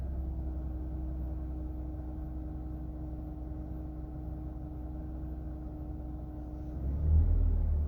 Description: 2002 is300 whining sound. Could this be oil pump going bad? It doesn't really appear to be coming from the alternator. This is a cold start. Most noticeable around idle.